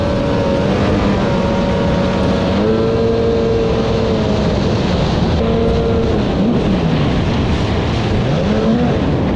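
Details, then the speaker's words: 1995/1996 Sea-Doo XP 800 two-stroke jet ski: a loud, rough, wavering drone, not firing on both cylinders. It looked like a blown exhaust at first, but the flush line had popped and the hull was filling with water. "I was coming in to get my helmet and Jason came in on this and I could hear it was not quite firing on 2."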